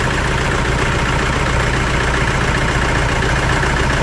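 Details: 2011 Toyota Hilux 2.5 diesel, lacking power, idling loud with a rough, uneven misfiring beat; scanner shows pump valve code and others; contaminated, rotten diesel fuel, needing injector, pump, lines and tank removal and cleaning.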